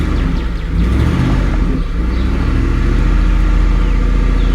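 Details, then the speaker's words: Ford F-150 4.6 V8 first start after fixing a cam gear installed backwards, warming up: short rev dropping to a deep steady idle, even beat, no misses or rattles; runs smooth. "Oh my goodness, it sounds so much better and so smooth compared to what it was."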